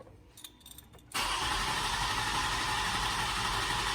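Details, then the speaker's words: 2007 Toyota Highlander 3.3 L, crank no start after earlier hard starts and sputtering: the starter churns at an even pace but the engine never fires; wiring and ground verified, battery voltage reaches the pump, no codes; the fuel pump has failed. "and we got battery voltage okay so we need a pump we're done with a diagnosis we need a pump"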